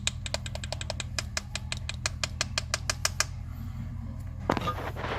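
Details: Rapid sharp knocking, about six a second, over a low steady rumble from the front suspension of a 2017 Chevrolet Spin LTZ manual (7-seat): worn tie rod end with play, after shocks, bushings and sway-bar links were already replaced.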